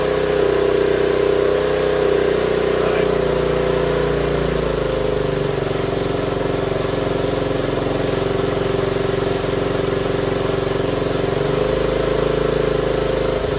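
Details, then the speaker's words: 1970 Honda Trail 90, previously non-running and said to have overheated: steady single-cylinder idle, then revs and settles; lots of white smoke, owner unsure if it is burn-off. "I don't know if it's burn off or might be No a lot of white smoke right now"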